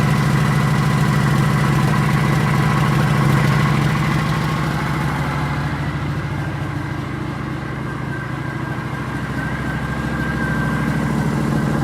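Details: 2009 Kawasaki VN900 Classic 900cc fuel-injected V-twin, long-sat no-start, after replacing old spark plugs: idles with an even, steady low thump, around two hundred pulses a minute, no misses or knocks; running normally.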